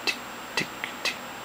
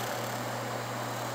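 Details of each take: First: Seagate FreeAgent Pro external hard drive with failing 24 V power supply (reads 24 V but can't deliver 2 A): repeated sharp clicks about every half second as drive keeps trying to spin up, sounding like stuck heads; fixed by replacing failed supply capacitors. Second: Seagate FreeAgent Pro external hard drive after replacing failed power-supply capacitors: steady quiet hum with one constant low tone, no clicks or ticks; drive spins up normally, light stays solid instead of blinking.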